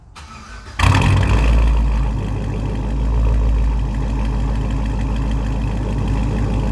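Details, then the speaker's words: SleeperGTP, warmed up just after a drive and back running after a repair: fires instantly into a deep, even V8 burble, revved, no ticks or knocks; healthy for its high mileage, though the owner thinks he hears slight piston slap. "all right so yeah i mean it's pretty healthy for that many miles it runs pretty smooth and uh don't worry it's already warmed up i'm not cold revving this thing"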